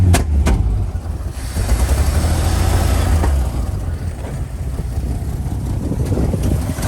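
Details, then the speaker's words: 1979 Chevy C10 inline six that sat eight years: rough, lumpy idle with a plump-plump stumble, about to die; a cylinder cutting in and out, suspected fouled spark plug. "It seems to have a cylinder that's coming in and out, so I imagine that there's a fouled out spark plug in there somewhere."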